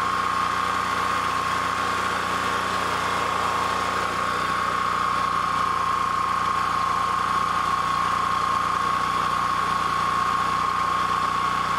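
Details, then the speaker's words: Honda EB3000c generator running with stator wires disconnected from the inverter: even, unbroken mid-pitched drone with no misses or surging; engine runs fine on its own, inverter diagnosed as bad. "now the generator is going to start now and it's going to stay running because I've got this all disconnected from the inverter that tells me this inverter is bad"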